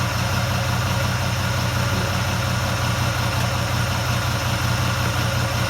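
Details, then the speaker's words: Ferrari 308 GTS bought at auction as a non-runner, after cleaning the distributor cap: steady, even low idle with a smooth rumble and no knocks, misses or hunting; running cleanly after possible initial flooding. "found the main issues and it started right up and started running really well so I was absolutely ecstatic"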